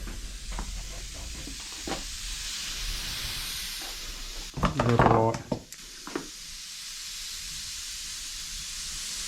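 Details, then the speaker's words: 1989 Rover Mini radiator under a pressure tester: faint steady hiss of air escaping a pinhole in the core, punctured by an overlong bolt, with brief handling noise; to be repaired by soldering. "someone's put a bolt in it's too long it's gone down it's punctured the radiator so bear with me while I clean that up right then let's give it a pump up and we'll have a look so we can hear it"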